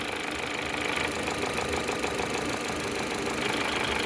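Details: Car at idle, timing and seals recently replaced: light ticking knock coming and going at roughly three per second over the engine hum; intermittent knock, source undetermined.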